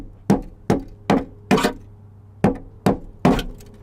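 Dull, dead thuds at an uneven pace as the panel is struck, no ring at all; the floor metal is rusted through.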